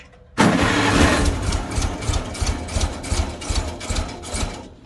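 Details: 1955 Farmall Cub antique gas tractor, battery trickle-charged overnight, choke applied: steady starter cranking about three beats a second with no catch or firing. It had run rough as if on two cylinders; owner plans a tune-up starting with plugs and points.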